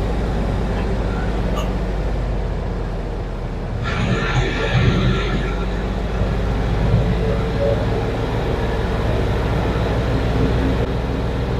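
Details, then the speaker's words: 1969 Chevy C60 truck with a 427 tall-deck V8, sluggish uneven cranking at about three turns a second that never catches; the battery sounds nearly dead and a jump start is expected. "I'm gonna end up having to jump it. The battery sounds like she wants to die. If she don't crank over, I'm gonna be a little upset, I won't lie."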